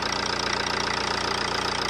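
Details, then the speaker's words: Ford Transit Connect diesel after injector seal replacement idling with an even, steady clatter, no misses or odd knocks; normal, smooth diesel idle. "as you can see it's running running quite smoothly seems to be all right"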